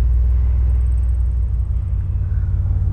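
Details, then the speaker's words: 1996 Chevrolet Blazer DLX with original V6 on FuelTech FT550LITE programmable injection, idling at 680 rpm as the air conditioning is switched on: low, even rumble with no hunting or dips; idle stays completely stable, well calibrated. "vou ligar aqui o ar condicionado dá para ver aqui ó recebeu o sinal de ligado ar condicionado a injeção EA marcha lenta se mantém completamente estável Isso é que é legal ficou muito bom acerto"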